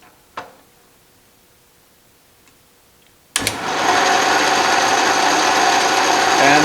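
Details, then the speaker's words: Restored 12-inch Atlas Craftsman metal lathe, reassembled, lead screw driven at the finest feed set on the quick-change gearbox, running in reverse: a steady, even whir with light regular gear ticking, working normally. "and that looks like it's working normally let it come to a stop we'll try the other direction"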